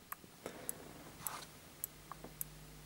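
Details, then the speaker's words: TV power supply after resoldering broken joints on connector pins and diodes, fault recurring: faint sharp ticks about every 0.6 s over a low hum, no standby; supply hiccuping, blamed on failed optocoupler, no short circuits. "And I don't know if you can hear that, but that's a ticking noise, and we now have no standby."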